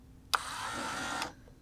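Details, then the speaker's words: 1978 Ferrari 308 power window motor, tested with power applied directly; a sharp click, then a steady even whir that stops cleanly; the motor is good, so the fault is either a binding cable overloading it or a wiring issue. "so i now know that the motor itself is good"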